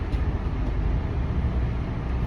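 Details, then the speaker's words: Yacht generator, heard from standing back, about 15 seconds to boot: steady even low rumble, no knocks, misses or surging. Generator running smoothly, normal. "It takes about 15 seconds to boot up, but we can hear it once it does turn on, and it's pretty obvious at that point when it's running."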